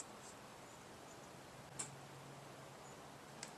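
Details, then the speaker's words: Mazda B2200 with Kia FE3 engine swap on first start attempt, after an earlier bad starter: one sharp click, then another 1.5 seconds later, with no cranking or running. Starter not engaging, cause not confirmed. "I heard it click that time, but I don't hear it running."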